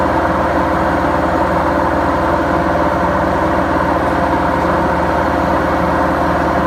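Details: BEKO washing machine, 7 years 8 months old, with bad bearings: steady loud rumbling roar with a constant low drone and rough grit throughout the drum run, drum bearing failure.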